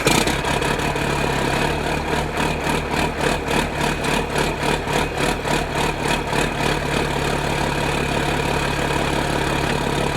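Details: Diesel idles after the cab was jacked and a keeper pin refitted, with a steady, even clatter around three and a half beats a second and no knocks or grinding; sounds healthy.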